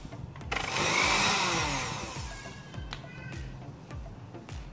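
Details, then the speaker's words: Cosmos blender that died mid-juicing, tested with the switch jumpered: motor kicks on to a smooth high whir, holds, then winds down when off; runs normally, so the faulty switch is the cause. "Coba kita on kan. Oh ini bisa nih, ini udah bisa ternyata."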